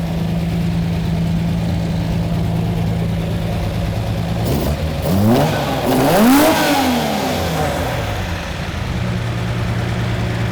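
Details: Lamborghini Miura V12 after the carburettors were balanced and the mixture set: steady, even idle, then a clean quick blip returning smoothly to idle; it sounds healthy and balanced.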